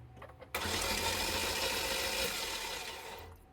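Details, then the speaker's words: Chevy Equinox cranking: even rushing whir faster than normal cranking with no compression chuffs, as if only the starter were turning; valve cover off reveals a loose timing chain and lost compression. "This is why your engine is turning super fast, like it's the starter."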